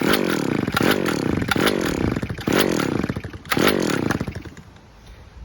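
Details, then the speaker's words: Stihl petrol two-stroke trimmer restarted with choke open after checking a cable, oil seen near exhaust; revs surge and sag in uneven bursts about once a second, running rough, not yet at full power. "Yeah, so she's not 100% yet. She's nearly good. She's close."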